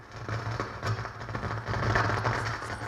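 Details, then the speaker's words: Pioneer SX-727 AM/FM receiver, probably from the early-mid 1970s, on bench speakers with the protection relay on: irregular crackling pops spike over a low mains hum. The noise seems to come from the preamp, since it goes dead silent with the preamp jumpers pulled; the main amp is not suspected. "we do got some spiking here and this is sounding like it's coming from the preamp and uh if you pull the jumpers out of the bat it's dead silent"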